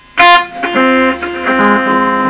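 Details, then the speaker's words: Fender Blues Junior tube amp with new valves and highly distorted output, played on the bench before any repair: guitar notes, especially bass notes, come out harsh and fuzzy with a raspy buzz. "oh okay oh yeah okay so bass notes horrible distortion okay that sounds really nasty"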